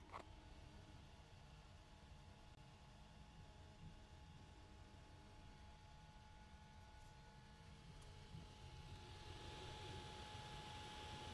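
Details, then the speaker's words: FLSUN Q5 delta 3D printer printing, recorded on a phone's internal mic about a foot away. A soft steady whir with a constant mid-pitched fan tone over quiet motor hiss; the fan is probably the loudest part, and the noise is normal. "so i just wanted to make this quick video to talk about the sounds that are made by this printer so this fan is probably the loudest part"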